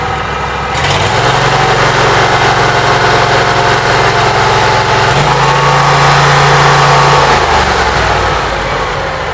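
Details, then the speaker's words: Briggs & Stratton Vanguard engine with Briggs carburetor, freshly rewired, run only 5–10 minutes and still cold, indoors: catches and settles into an even idle, picks up and drops back smoothly; everything working, normal running. "Everything seems like it's working. I have no complaints. Runs pretty good. It's a Briggs carburetor. That little bit it's doing. It's cold. Trust me, it's not warm."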